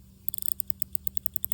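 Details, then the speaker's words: Johnson Century 2000 spincast reel during reassembly after cleaning and lubrication (dry drag washer, main gear fitted): faint quick run of light ticks, about a dozen in 1.5 seconds, as the drag goes out; normal drag click. "I know you can barely hear that but it's the drag sound that it makes when drag goes out"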